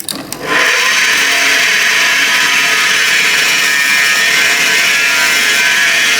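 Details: Ariston Aqualtis 8 kg Class A tumble dryer running before the belt is removed: loud, steady, high-pitched whirring roar as the drum spins up; source unclear, with the belt tensioner or motor suspected, consistent with a worn motor bearing.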